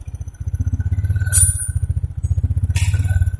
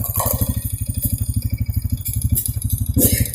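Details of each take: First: 2014 Honda Supra X 125 fuel-injected motorcycle: single-cylinder idle swells and sags about every 1.5 seconds, never settling; hunting idle, suspected ignition, electrical or injection fault, not confirmed. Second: 2014 Honda Supra X 125 fuel-injected motorcycle, previously with idle rising and falling, retested after the repair: regular firing pulses at a constant idle speed with no hunting. Idle has settled back to normal.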